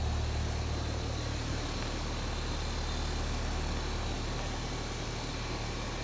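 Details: R22 outdoor HVAC condenser running after its bad capacitor was replaced on a no-cool call, with a slight piston restriction also diagnosed: a steady low hum with an even fan rush, no clicking, rattling or pulsing as it stabilizes.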